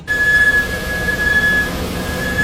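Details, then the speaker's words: Car squeals every time the brake pedal is pressed: a high, thin, steady squeal cutting in and out as the brakes bite. "好，听到没有？一踩刹车就吱吱响。"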